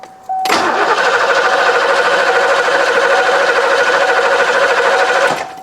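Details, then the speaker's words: 1990 Ford Mustang GT 5.0 V8, manual, UK barn find laid up 30 years, first start attempt; fuel and battery power confirmed, spark unknown. Steady even cranking about three beats a second, no firing; cranks, won't start, cause unconfirmed. "I'm going say that's a negative. >> Yeah, I'd say that's negative. >> Not even attempting it, is it?"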